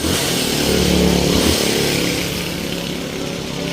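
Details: Honda TMX 125 after converting to a 4-pin CDI; the old CDI worked on the kickstarter but not the push-button start. It now starts on one push-button click, catching quickly into a steady, even buzzing idle with no misses.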